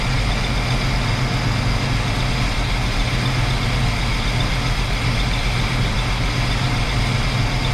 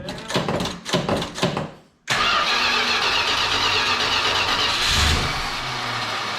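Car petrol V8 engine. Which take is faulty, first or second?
second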